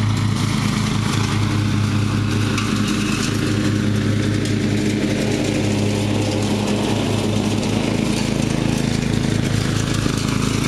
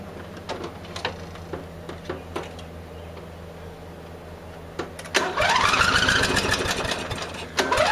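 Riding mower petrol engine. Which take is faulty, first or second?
second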